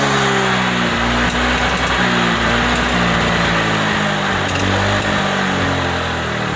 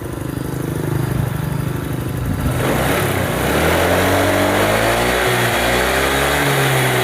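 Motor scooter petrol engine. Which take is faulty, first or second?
first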